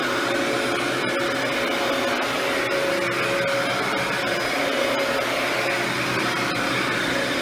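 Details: Mid-2000s Dyson DC14 Animal upright vacuum after cleaning and service, now reassembled and working perfectly; steady, even motor roar with a high airy whoosh at a constant level while running on carpet, sounds healthy.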